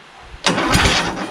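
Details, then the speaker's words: Craftsman LT2000 repowered with a 20HP Kohler Courage, starter fed straight from a jumper pack: about a second of steady starter whirring as it cranks, but the engine is tight; the starter was later found seized with the Bendix gear stuck extended. "ooh cranks stroke get it over that's pretty tight yeah try it again"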